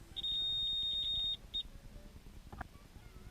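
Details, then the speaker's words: Mastech MAS830L multimeter in continuity mode, probes on both ends of a wire: a steady high beep for about a second then a short chirp; continuity confirmed, the wire is intact (no beep would mean a cut). "now connect one probe to one end of the wire and the other to the other end of the wire if you don't hear a buzzing sound you know that there is a short circuit or there is a cut in the robayo"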